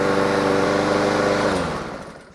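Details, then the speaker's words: Honda GCV160 mower engine after carburetor removal and cleaning, fuel valve on, fresh ethanol-free gas: starts first pull, fast steady even beat, coasts down cleanly at shutoff; runs nice and smooth now, normal running after carb clean. "Let's fire it up and see how she does. First pull, baby. That runs nice and smooth now."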